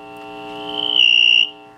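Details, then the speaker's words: General Electric C-403A radio gives a high chirping, bird-like whistle that swells with fast flutter, then cuts off. Front-end RF oscillation from a faulty capacitor to ground. "you know you know when you hear that bird chirping usually it's in them in the front end of the radio check that out"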